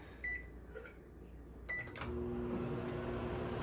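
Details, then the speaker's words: Kenmore microwave, previously no heat and turntable not turning, after reinstalling the control board flush: beeps and door clicks, then a steady low transformer hum with a faint whine; heats normally, turntable turns, water boils. "so now i can hear the transformer running that gives me a good feeling that the microwave is working and let's run it for a minute and see how it goes"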